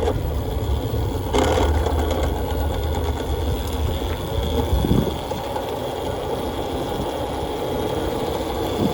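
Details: Nathan's custom Voloci electric bike, first ride in about 20 years: loud uneven rattling growl, about four pulses a second, rough off the line under load, smoother once moving; hub motor cogging, not the chain.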